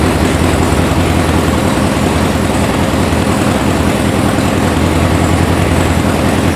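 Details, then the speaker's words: VW air-cooled flat-four sand rail (about 1966), brought in as a non-runner, first start: runs with a lumpy, unsteady idle and all cylinders firing per a pipe check; sounds like it needs a tune, cause unconfirmed. "Sounds like it needs a tune. Well, I'm confused. It's in here because it doesn't run."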